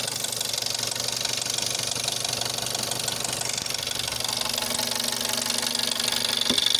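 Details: Jetta 6 1.4 TSI CAXA, 125,000 km, cold start: sharp, even ticking knock about four a second over idle, worst after 3+ days parked, gone when warm; first noticed at 60,000 km, timing chain tested not stretched at 100,000 km, cause unknown.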